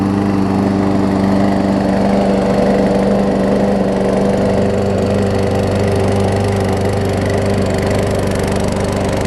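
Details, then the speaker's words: New Murray push mower after repairs, deck bent back away from blade, warm start: even, steady engine hum with no scraping or blade strike; runs good. Normal running after repair. "this test hit the blades hitting or not so here we go runs good and not hit the deck anymore which is perfect"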